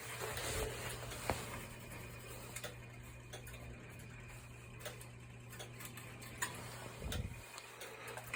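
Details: Burnham Alpine gas boiler with no heat or hot water. Sparse, uneven light ticks over a steady low hum; a zone valve's end switch is failing and chattering.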